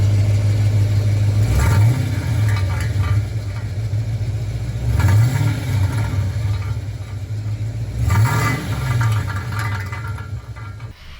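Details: Holden HSV VS Clubsport V8 idling with three throttle blips, each bringing a brief metallic rattle from the exhaust; owner suspects a loose catalytic converter, one cat largely dead. Exhaust rattle.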